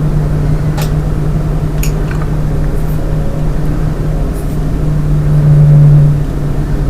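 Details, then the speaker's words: Lian Li 217 Infinity PC case, stock fans lowered to 40%: a steady low droning tone over airflow hiss swells louder. Owner says the resonant whine persists even at 10% fan speed and no setting stops it. "And this sound which you are hearing, it's happening even on 10% RPM, fan speed. Okay? There is no way you can stop this."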